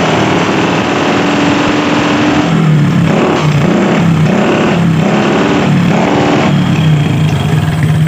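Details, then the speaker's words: Honda Supra cargo motorcycle that smokes, running through a bare open pipe: loud, rough pulsing bursts about every second, popping and backfiring into the carburetor. Engine damage from oil starvation. "jadi barangkali teman-teman sudah jelas yaitu motornya seperti itu pertama ngebul kedua Brebek parah nembak-nembak Hai motornya nembak-nembak ke bagian karburator"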